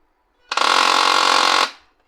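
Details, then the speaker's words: HP LaserJet M1005 MFP on power-up initialization: loud steady hum with gritty buzz from the motor; a jammed rear lock was loading the motor, fixed by freeing the lock. "इसमें एक पीछे साइड को लॉक भी फंसा था, जिस कारण से ये प्रिंटर मोटर के साथ हमिंग कर रहा था।"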